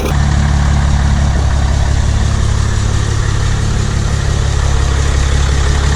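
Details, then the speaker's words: 6.7 Cummins diesel just fitted with a Smeding S369 SXE turbo: a deep, steady rumble with an even beat and no knocks or whistles, a smooth, quiet, healthy idle. "that looks like sounds good that is quiet"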